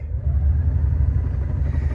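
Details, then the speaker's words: 1989 Mercedes 560SEL losing power above 1800 rpm from a variable vacuum leak that worsens as the engine warms. A deep steady V8 drone holds at a fixed speed under held throttle and won't climb: rpm falls off at steady throttle. "I release the the gas a little bit it comes back up and then I cannot get over it I'm holding it here but there's nothing"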